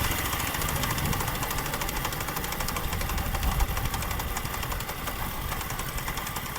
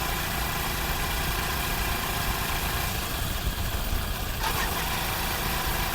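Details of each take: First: Honda CD 70 motorcycle ridden on the road with heavy wind, a rough knocking gear noise only in fourth gear under load; suspected loose gear changer bolt causing poor shift fork action and damaged gear dogs. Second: Honda CD70 after repair of a gear noise that was heard in fourth gear, first test run. A steady, even idle with no knocking or gear whine: normal idle.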